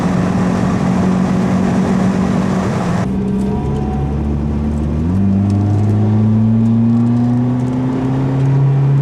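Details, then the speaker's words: Toyota Celica GT-S with newly installed Injen IS2045P short ram intake and TRD exhaust, warmed up, driving with window down: smooth clean rise in engine note through revs, alternator whir audible; normal under acceleration. "So that's the engine intake."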